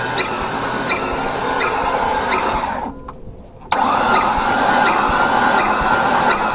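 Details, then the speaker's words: 2007 Ford Ranger that won't start after being in a ditch, with oil in the airbox and a rod bearing suspected; slow, labored cranking at about three and a half beats a second, dropping out briefly, never catching. "We're gonna see if it turns over any faster. Because if it doesn't, it might have a serious problem."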